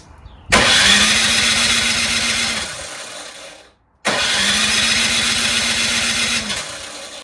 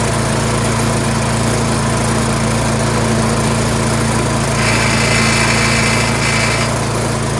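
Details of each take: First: Troy-Bilt Storm 2410 two-stage snowblower, LCT engine, electric start: two roughly two-second bursts of starter whine with no firing at all, no sign of starting; primer feels disconnected, fuel apparently not reaching the carburetor. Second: Troy-Bilt Storm 2410 two-stage snowblower, single-cylinder engine, after fitting a new Hipa replacement carburetor: smooth constant buzz with no hunting or surging in speed, running properly; surge repaired.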